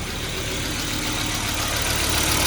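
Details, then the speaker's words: 2002 Volvo XC70 2.4 turbo idling smoothly right after replacing the cam sensor aperture ring and housing to cure a long-crank problem; starts quickly now, even idle, nothing odd from the cam sensor end. "it sounds good. Nothing weird from the sensor end. Okay, I'm gonna leave it idling like that."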